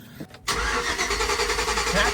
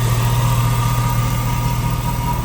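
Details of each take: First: 2006 Chevy Tahoe 5.3 LS cranking, with testing confirming no power across the ignition coil connector. A short click, then an even, fast cranking whirr that never catches: crank no-start from a missing coil supply. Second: 2006 Chevy Tahoe 5.3 LS warming up after its stalling fault was fixed. Deep, smooth idle holding a steady low hum with no dips or stumbles, then dropping to a quieter rumble: normal idle.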